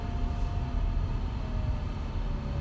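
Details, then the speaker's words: Chrysler Pacifica plug-in hybrid with 16-kWh battery at 0% charge: low engine rumble under a faint steady whine drifting slightly lower while driving and stopped; normal generator charging the battery. "the generator is a little loud honestly I'm sure if you can hear it or not it sounds like it's whining that is normal operating condition for this vehicle it is actually charging the battery as we speak"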